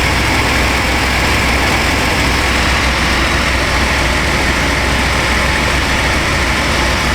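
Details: 1996 Chevy Astro van V6, warm, idling after replacement of a leaking spider injector that had caused misfires and rich running: a steady, even rhythm with no skipping, stumbling or surging. Normal idle after repair.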